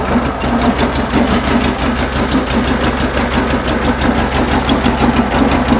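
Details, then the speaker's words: Warm idle of a 1974 VW Beetle flat-four with dual 34 carbs and points ignition: a busy, slightly uneven beat of about three pulses a second. The sync tool reads 5 on one carb and 10 on the other, so the carbs are out of balance and need synchronising. "five on that one get in there and 10 on that one they're not even close"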